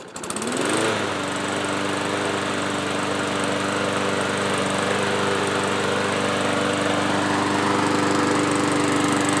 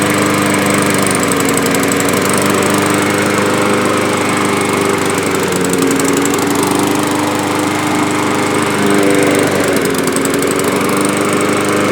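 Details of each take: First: Yard-Man push mower after carb cleaning, service and blade sharpening: quick pull start, then a smooth steady buzz holding one pitch with no surging; runs normally, surging fixed. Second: Yard-Man push mower, probably 2003, sat unused a couple of years with old gas and black oil, surging at run speed, pitch sagging and recovering; dirty carburetor needing cleaning and diaphragm gasket.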